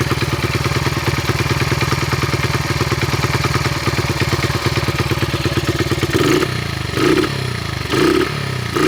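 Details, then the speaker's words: 1974 Honda XR75, 48-year-old single, after new plug and carb seal: uneven lumpy chuffing idle stumbling through throttle blips; runs rough, doesn't sound healthy, later throttle not crisp and engine straining. "okay it's running but it doesn't sound healthy what do you think"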